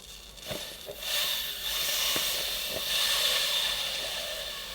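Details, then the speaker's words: Presawash hand-powered washing machine drum opened after a hot-water wash: a few handling knocks, then a steady airy hiss for several seconds as built-up pressure releases gradually; normal. "you can hear that you can hear the air escaping so yeah pressure has built up right so it's released the pressure gradually right"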